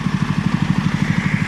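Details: Toro lawnmower, small single-cylinder engine, running after tuning with a throttle cable fitted: steady, even low putter at a constant fast beat with no misses or knocks; normal running.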